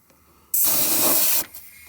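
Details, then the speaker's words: BMW N55 intake/charge pipes pressurised with a boost leak tester; steady loud hiss of escaping air for about a second at a pipe connection, air felt by hand; owner suspects the T-bolt clamps, which leaked around 14 psi. "it's also leaking on this connection I have I put my hands is anything I could feel the air coming out"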